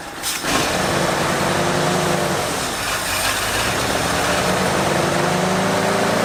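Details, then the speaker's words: 1973 Ford Bronco 302 V8 after 10 years in storage, nonworking carburetor idle circuit: after opening the mixture screws from 1¼ to 2 turns out, revs briefly then settles to a steadier idle with a slight drifting beat; better but still not right. "i don't think we have an idle circuit there is absolutely no idle circuit in this carburetor i do not know why it could be poop that is an option"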